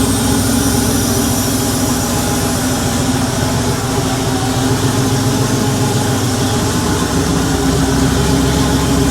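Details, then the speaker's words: Freshly rebuilt Porsche 911 3.2 Carrera flat-six on an engine stand, cold start (second or third start) at 34 °C ambient: a dense, steady exhaust note with no misses or knocks; no smoke, running a little rich on cold start, healthy. "It didn't blow any smoke. It is running a little bit rich, but it is on cold start."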